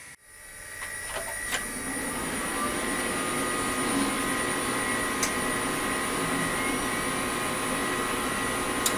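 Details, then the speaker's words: Noise from a fully loaded 1998 Pentium Pro/Voodoo 2 SCSI gaming rig: the drive spins up, then power-on brings a steady whirring rush with a thin high whine; the front Nidec Beta V fan is very loud but moves little air. "do you hear that that my friends is what an enthusiast system from the 90s sounded like it was fully loaded so this thing's pretty loud and i'm not quite sure how to feel about it"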